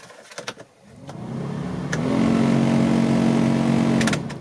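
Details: 2004 Renault Twingo 1 cabin blower at full speed: it clicks on, winds up, then settles into a rough, droning hum as if something is touching. Cause: broken fan impeller blades.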